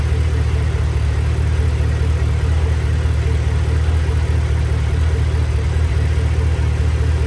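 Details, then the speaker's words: Chevrolet Camaro ZL1 5th gen supercharged V8 after engine rebuild: steady even idle, low purr, no knocking or the earlier galloping sound; healthy. "before it uh sounded like some horses were Galloping through the wind and uh now it sounds like a kitten's purring all day long so sounds good now uh sounds healthy"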